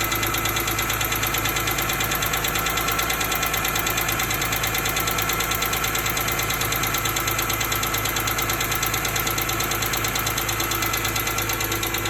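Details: 2005 BMW E46 M3 petrol straight-six at idle, steady light ticking about three ticks a second, started after hard driving. Dealership suggested valve adjustment; one mechanic found a pitted exhaust-side rocker arm, another suspects rod bearings. Unconfirmed.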